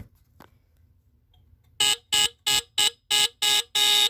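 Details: Tanita No. 2 heat fire alarm, cover refitted, sounded by pushing the bottom test strip: seven sharp, buzzy high-pitched blasts about three per second, the last held longer. Alarm works properly.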